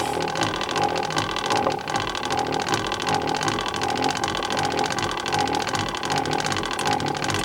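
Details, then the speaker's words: 1917 Victor Victrola VV-XI, service just completed with new brake leather; two original 17-foot springs with thick grease, room at 47 degrees. Even ratcheting clicks as the crank turns, no slipping, binding or grinding; the spring motor winds up normally. "Which has a different meaning today than it did in the 1920s, but for our intents and purposes, we are literally cranking up the machine."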